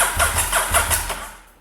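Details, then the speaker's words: Restored Honda SP1 V-twin dry-cranked in short bursts with the fuel tank removed, fresh oil just added, to prime oil pressure until the oil light goes out: an even burst of compression pulses, about five a second, with no firing. "i'm purposely doing this with no fuel tank on so that we have absolutely no chance of the bike starting this may take a while because it's got to get oil round absolutely everywhere"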